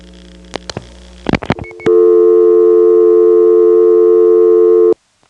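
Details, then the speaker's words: Recording from 75 (Plaza) West End step office to downtown Atlanta step's 5 selector trunk; faint dial clicks and snaps break through before steady loud tone; dialing crosstalk on the trunk. "There's some dialing crosstalk on this trunk from the West End step to the downtown steps 5 selector."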